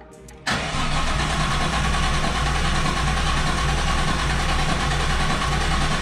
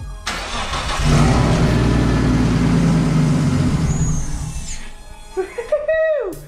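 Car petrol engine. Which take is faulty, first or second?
first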